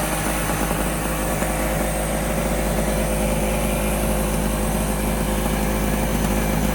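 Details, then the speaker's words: Medusa Compact 950 two-stroke generator, first start from cold after new fuel tap, choke on: steady, even buzzing run with no misses, knocks or surging; runs cleanly. "Lovely little sounding two-stroke there. Right, so that was a success."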